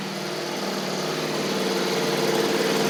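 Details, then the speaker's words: John Deere D140 riding mower, once blowing fuses, with basically new spindles: the deck gives a steady mid-pitched hum rising slightly, with no screech or grinding. The spindles are somewhat loud but quieter and better than before; normal deck running. "it's just I guess the way that those spindles are they're just kind of loud it has like I said basically new spindles on it it does sound a good deal better though a little bit quieter which is good"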